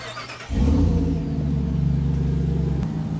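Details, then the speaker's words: 800+ HP Jeep Wrangler after a roadside repair and reassembly, coolant system bled and pressurized: fires at once and settles into a steady, even low rumble, no leaks; clean start and healthy idle. "now we can officially say victory driving and see what happens but it's back together it's running there are no leak"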